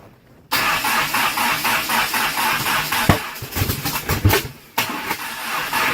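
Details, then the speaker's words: Conquest with a new coolant temp sensor and plug wires: cranking catches into a ragged run with sharp pops and a stumble, backfiring through the intake; cam timing left at stock is suspected. "Stop. What does happen? It's backfiring through the intake."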